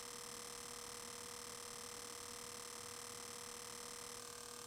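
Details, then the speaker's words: Cinematronics Star Castle vector monitor, both DACs replaced with good ones, fuse no longer glowing: constant fine buzz, mid tone, hissy top, no crackle or pops; deflection working normally. "That's the deflections working. Yeah, so it's working fine."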